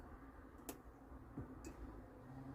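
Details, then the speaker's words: Old motorhome water pump on auxiliary power with a full tank, hot tap opened: a couple of sharp clicks as the small pump cuts in, lots of air in the pipes before water arrives; normal water pump start. "yeah you can hear it clicking in so this is lots of air in the pipes oh here it comes"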